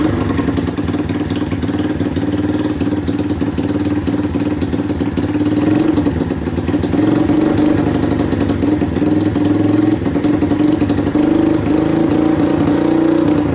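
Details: Rare two-stroke motorcycle revived in a workshop, with a long-thread two-stroke plug, good compression and a cleaned carburetor: first successful start, settling into a steady, even idle with a light clatter and no misfires.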